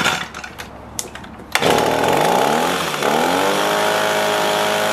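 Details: Echo PB265LN leaf blower found in the trash with seized engine, fuel leak and no start, after shortening a split fuel line: fires up to a steady, buzzy high-revving drone under throttle; normal running.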